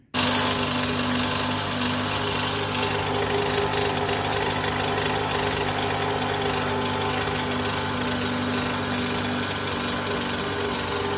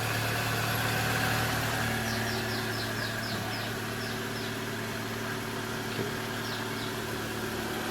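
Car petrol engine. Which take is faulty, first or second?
first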